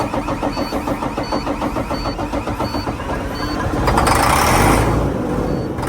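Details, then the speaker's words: Maxxforce 13 engine cranked with starting fluid: starter churns at roughly three and a half pulses a second with a beeper nearby, but it never fires; crank, no start. "Nothing, Andy. See? And that's with starting fluid."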